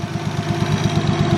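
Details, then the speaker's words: Modified Toyota Supra that overheated, after a cooling-system pressure test and burping the coolant: the idle has a recurring stumble in the low exhaust thump, a misfire; it runs but the cause is unconfirmed, compression and leak-down tests next. "The car now is misfiring. I can hear it. It works normal, but I can hear it."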